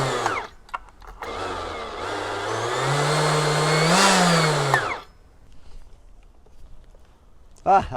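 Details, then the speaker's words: Husqvarna T542i XP battery top-handle chainsaw, after greasing the clutch bearing to cure a squeaky-wheelbarrow squeal: motor spins up with a smooth rising whine, then coasts quiet, no squeal or scraping; normal running, clutch fixed. "that's actually fixed the problem so if any of you guys get that real horrible wheelbarrow sound old squeaky wheelbarrow just grease that up um that solved the problem"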